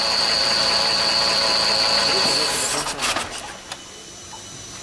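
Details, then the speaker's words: VW Polo 4 engine at idle with an abnormal noise of unidentified source: quick, even ticking about four times a second, with a thin high whine over the first couple of seconds. "هذا السؤال من وين موجود هذا الصوت ومناش في أي مكان. غير عادي في المحرك."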